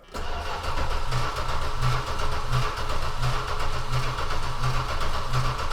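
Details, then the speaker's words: Dodge Aspen V8 on its second start attempt: the starter cranks strongly at an even beat but the engine never fires. Owner suspects bad gas, since the old tank was never pumped out. "Crank it strong. Probably has bad gas."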